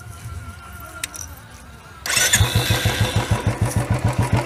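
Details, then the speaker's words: Royal Enfield BS6 single-cylinder: silence, then it fires at once and settles into an even thump about three to four per second. Starts easily and idles fine. "देखा कितना English part हो गया मतलब इसमें आपको नया मैं एक लेटर दिया ना कुछ भैया इजली स्टार्ट हो गया"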